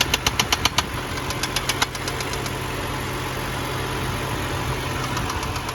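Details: 2011 BMW 328i xDrive (N51) bought cheap, first start: sharp, inconsistent knocks about four a second come and go over cold idle, seeming to come from the rear of the engine; investigation later confirmed spun bearings.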